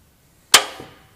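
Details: Petter A1 stationary engine, Wipac magneto, turned over by hand while setting timing: one sharp snap as the impulse coupling releases and the magneto fires, which should be at top dead centre, found via the crankshaft keyway.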